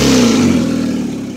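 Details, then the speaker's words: 2004 Hyundai Elantra petrol engine running after radiator replacement: revs and falls back with a raspy, buzzy edge from an exhaust leak at a loose flex pipe, to be fixed. "but it's running you can probably hear the exhaust leak that's getting fixed on saturday"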